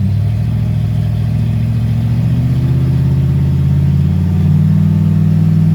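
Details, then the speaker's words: 1995 Ford Mustang after swapping in a C4 3-speed automatic, two-stepped in the driveway; engine pulls smoothly from idle with a steady climbing pitch and an even clean beat, no knocks or rattles; sounds pretty good, healthy. "As you saw, we were two-stepping it a little bit in the driveway. Sounds pretty good."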